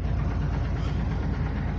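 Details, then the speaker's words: 1999 Ford F250 5.4 V8 (or 2004 E350 5.4; truck in question unclear), started in rain: deep idle with uneven, lumpy beat and dropped pulses; exhaust leak is causing the miss, also has a gas leak. "eah this thing has an exhaust leak so my dad's going to put it up online because it's you literally have to take everything off to just to fix the exhaust leak that's what's causing it to miss too"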